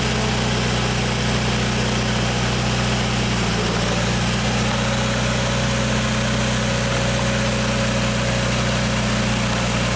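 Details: 1995 Genie Z45 lift, LP engine, after a wiring fix restored 13.2 V to the fuel pump under platform controls: smooth, even idle with no dips or stumbles; the stalling problem is fixed.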